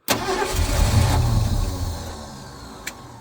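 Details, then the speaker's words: 1971 Ford F-100 started after sitting for years, fuel poured into the carb after fixing reversed coil wiring: cranks and catches at once into a rough, loud burst, then fades as the fuel runs out. Ignition fires properly; fuel system needs sorting. "Fired right over. Sounds pretty good. And she lives, so she's gonna need the fuel system sorted, but all in all, she seems to be alive."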